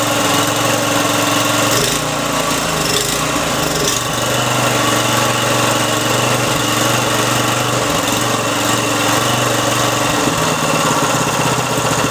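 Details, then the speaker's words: Briggs & Stratton 3.5 HP single-cylinder engine, little used, after carburettor fix and unjamming the choke, started with ether; steady even buzz at constant speed, no misses or surging, slight smoke at start; running healthy. "it's killing you still me sounds good look get all Briggs & Stratton light it's Mikey she runs awesome beautiful"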